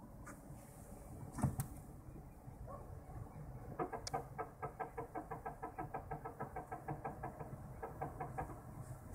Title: Toyota Prius 2 brake noise